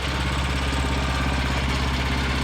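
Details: Revived Vanguard 9HP tractor engine after draining old gas, carburetor work and freeing a stuck throttle lever, oil topped off: steady, even single-cylinder idle with no knock, miss or rattle, no fuel leaking, much quieter; some vibration noted. Normal idle.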